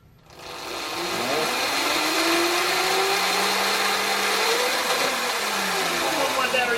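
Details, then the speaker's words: 2018 Sur Ron Light Bee MX electric motor after overheating at an enduro race: thin whine rises and falls under light throttle, then fades; heavier throttle gives an instant phase overcurrent fault. Owner suspects a fried Hall sensor, with the controller running sensorless. "if I give it a lot of throttle it doesn't work that says there's a motor Hall sensor issue and it's running in sensorless mode"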